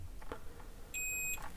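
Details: Intex UPS with continuous beeping, multimeter continuity test across MOSFET legs: a steady high meter beep lasting about half a second suggests a shorted MOSFET. Not yet confirmed; it will be removed and tested out of circuit.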